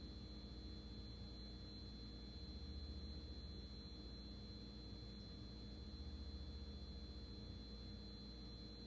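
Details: GE refrigerator: a thin, constant high-pitched whistle at a steady pitch over a low hum. Cause not yet found. High-pitched whine.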